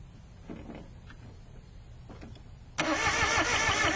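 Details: Car with nine-year-old battery parked in the mountains, diagnosed with basic tools: starter cranks at a steady quick beat with no firing or pickup; strong spark seen at coil, cause not confirmed.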